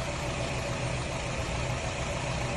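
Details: 2011 Nissan Rogue four-cylinder at idle after a cylinder head job, PicoScope wand on each coil: steady idle with a faint uneven stumble every so often; one coil struggles to maintain a good spark, causing a misfire.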